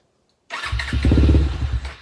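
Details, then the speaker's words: Suzuki LTR450 quad, believed 2006, fuel-injected, long sitting: catches and fires unevenly for about a second, then fades out instead of idling, won't accept throttle; stalls after starting, owner suspects fuel lines or injector, unconfirmed. "but it'll start in idle for a little bit but it just won't accept any throttle and it won't stay idling"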